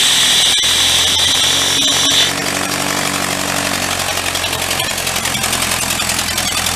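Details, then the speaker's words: Vintage air compressor's small engine, just started after tune-up, running fast: loud raspy puffing on every firing with hiss; suspected exhaust manifold leak, possible intake leak too, not confirmed. "That is loud. I may try to, maybe we could take that cap off of there. Because it's probably going to even just take out the microphone on the camera."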